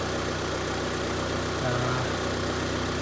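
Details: 2002 Honda Civic 1.7 L running after alternator and belt replacement: smooth, even idle with a steady low hum and no knocks, squeals or belt chirp; engine running healthy.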